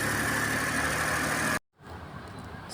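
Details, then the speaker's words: Suzuki Every DB52 petrol engine with DTC P0120, after the faulty ignition coil on cylinder 3 was replaced: even idle with a faint steady whine, cylinder 3 firing again and no misfire, then a sudden break and quieter running. "Pero okay na yung cylinder natin. Wala na siyangpire."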